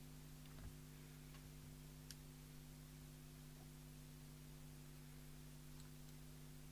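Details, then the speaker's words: Heathkit HD10 electronic Morse keyer (c1969) sold as "no sound, lights up" and found with a transistor missing and a capacitor broken away. Light irregular relay ticks over steady mains hum with no tone: keyer relay clicking with no sidetone from its internal oscillator. "no we've still got nothing by doing that so we'll pause the video again and have another look"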